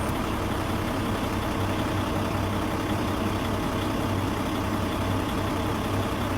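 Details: Paccar MX13 diesel after injector 2 repair, warm after a 30-mile test drive, no active codes: even, steady low idle rumble with no misses or knocks; engine running healthy.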